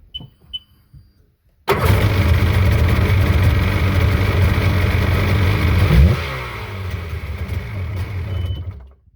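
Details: Sea-Doo jet ski started after sitting 3 years, with new battery and spark plugs: a few clicks, then the engine catches and runs rough and loud for about four seconds, eases off and stops. Start-up after long storage.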